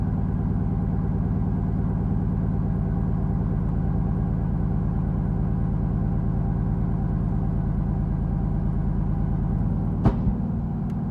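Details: 6th-gen Camaro 2SS V8 cold start: a lumpy, uneven idle with one sharp pop from the rear; it's a cylinder 1 misfire only when ice cold, the check engine light flashes briefly, and it runs fine once warm.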